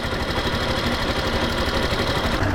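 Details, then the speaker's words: Yamaha Factor 2022 motorcycle, about 55,375 km, after valve clearance adjustment (intake set to 10); even steady idle with no ticking, noise much improved. "melhorou bastante"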